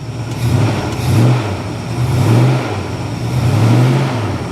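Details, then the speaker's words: 1973 Plymouth Scamp flood car, started in very cold weather with heavy white exhaust smoke (owner unsure if head gasket or condensation): deep exhaust note swells and falls cleanly with each throttle blip, no knocks or rattles; revving sounds healthy. "She really does sound good. She does. She sounds good."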